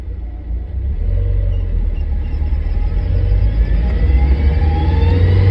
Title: クラッチ異音確認😱画像は動きません💦